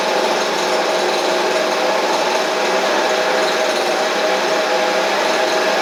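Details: Stihl/Husqvarna blower (BR700, BR420C or 125B), free non-runner after new Hipa carb kit: steady high-pitched two-stroke buzz at even speed, no surging or misfire; runs well out of the box, no carb adjustment.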